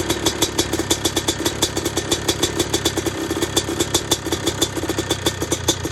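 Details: YZ250 two-stroke engine converted into an RMZ250 frame, with a Smartcarb, cold, first kick: crisp, even popping at about eight beats a second that settles into a steady idle. Fired and held cleanly; normal idle.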